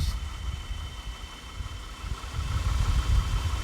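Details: 2010 Ford BF Falcon wagon idling after replacing the water pump. It was clanky at first, then settled. Low steady even idle with no whine, squeal or knock. Mystery noise fixed. Normal idle.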